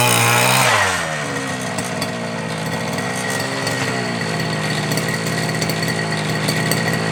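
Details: FG Marder petrol RC car, small two-stroke, run the day before, started without choke after a couple of primes, after front-end bolt fix and brake/throttle linkage adjustment: sharp blip falls back to an even buzzy idle; clean, normal running.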